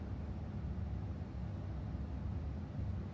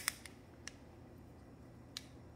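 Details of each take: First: KES shower valve after gluing floater to sleeve with two-part epoxy: only steady low rush of flowing water, no rattling or banging; fix worked. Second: KES shower pressure-balancing cartridge causing water hammer banging in walls: four sharp, irregular metallic clicks as the loose floater strikes its sleeve; fixed by gluing floater to sleeve with two-part epoxy.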